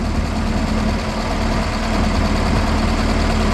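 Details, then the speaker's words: Ferguson tractor (TEA20 or TO35) idling after exhaust system replacement, reused muffler and old gasket, not leaking: deep, steady idle with an even beat and no puffing or leak rasp; sounds like a whole new tractor, normal idle. "fck it sounds like a whole new tractor that sounds like a whole new tractor that's much better that's the best $150 exhaust system I ever bought"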